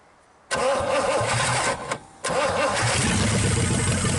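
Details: 1963 Pontiac 389 V8 first start, no hood, hot-wired points ignition: starter catches after a brief crank, then settles into a steady, even idle with no knocks or misses; normal start and idle.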